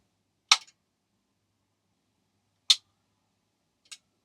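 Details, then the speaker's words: Soft-start circuit for a 1KVA isolation transformer at 240 V, microphone close to the relay. A switch click, then the relay snaps in a second or two later, a normal delayed click-in; RC time constant meant to be about 1.8–2 seconds. "Not sure if it really is at that delay, but it's close enough. There's at least a second or so delay."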